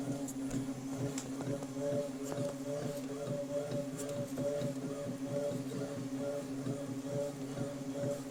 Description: Like tribal drums. In distance... so far. Anoying for sure.